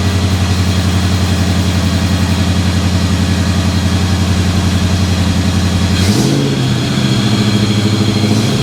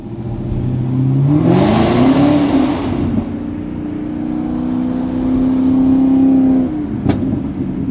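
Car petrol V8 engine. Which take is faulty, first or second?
second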